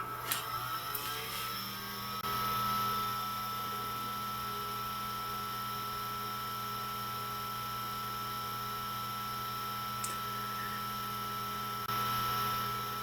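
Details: Fan in a TRS-80 Model 4P under restoration, in its original hard mounting before rubber washers: spins up to a steady whir with a hollow, ringing, echoing drone, maybe 1–2 dB louder. Vibration passing into the case adds resonance.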